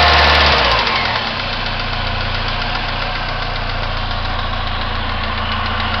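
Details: 1999 Pontiac Grand Am SE, warm idle: steady, fairly quick knock about three or four per second from in or around the engine. It is absent when cold and fades with revs; owner unsure if timing chain or rod.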